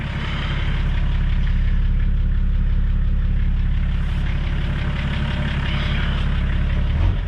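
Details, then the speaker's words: Nissan Patrol TD42 diesel idling after an oil and filter change, warm from running that morning, not free-revved; steady low clatter at even idle, no misses or knocks; normal diesel idle. "I did have it running this morning, so it's not cold. Hasn't got any temperature left in it."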